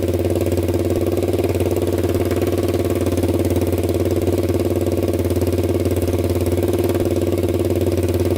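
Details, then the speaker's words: 1999 Honda 400EX quad after rebuild (new piston, valve seals, cleaned valves) that previously smoked, restarted: steady single-cylinder idle about 220 beats a minute, no stumbles or knocks, zero exhaust smoke; smoking believed fixed, normal idle. "all right guys absolutely zero smoke coming out of that pipe so i'm pretty sure we fixed it so that feels pretty good"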